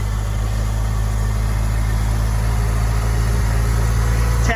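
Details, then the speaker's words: Honda S2000 with unknown wrecked-car engine, first start: after a rough, smoky start it settles into an even, steady idle with no misses; sounds much better. "Yeah. Let's do it again. Oh, wow. That sounds a lot better."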